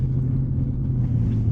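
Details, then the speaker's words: Jeep Grand Cherokee WJ, 209,000 km, driving after the fuel filter was replaced and a kinked fuel line repaired. A smooth, steady low rumble with no stumbling, surging or misfire; the engine is purring. Normal running. "I mean, it's purring. It is purring."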